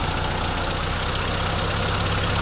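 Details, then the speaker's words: M38A1 Jeep after installing a rebuilt carburetor, tune-up test run while setting idle speed (target around 700 rpm): even, steady low idle with no knocks, stumbles or hunting; sounds about right, normal idle. "I don't know what 700 sounds like. I don't know. That kind of sounds good right there."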